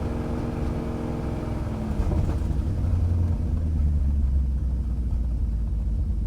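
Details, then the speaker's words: 1998 BMW 740i (E38) with new fuel pump at 40 psi, O2 sensors out so exhaust is open and loud: rumble climbs smoothly on throttle and settles without stumbling; clean healthy rev after repair. "I'm right at 40 psi, and watch what happens when I give it gas. And listen to the engine. She doesn't stumble."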